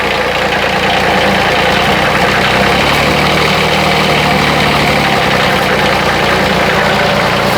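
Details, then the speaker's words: Bobcat 371 skid steer after swap to a Kubota diesel, first run at steady idle: a light metallic rattle rides on the idle, the muffler tailpipe knocking against the frame, which the owner expects to go away. "So you can hear a little bit of metallic noise, and that's the muffler, the tailpipe hitting the frame. So that's going to go away."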